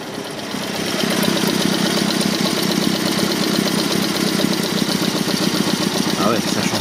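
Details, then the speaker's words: Alfa 33 boxer engine with carburetors, long-neglected restoration car: lumpy, uneven idle pulsing in a repeating cycle, strange noise from one side; owner suspects a valve not closing well, rough idle. "Thực sự có một tiếng động lạ ở phía này. Tôi không thích nó có thể là một van đóng không tốt."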